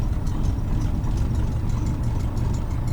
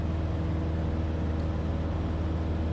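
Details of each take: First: Cessna 150 with Continental O-200-A, previously losing power on takeoff and running rough taxiing, ground run after spark plug work: steady even drone, no misses or roughness, full static 2600 RPM; running smoothly. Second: Cessna 150 with Continental O-200-A on takeoff climb, carb heat tried and ruled out: steady low droning engine, even firing, no clear misses, RPM sagging 10 to 30 and worsening; power loss traced to failing resistor spark plugs.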